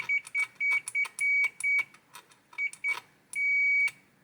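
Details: Hisense AC board with a processor communication error: the continuity tester gives bright high beeps, some short and some held, at the junction on the component lead; the held tone shows the joint conducts and is intact.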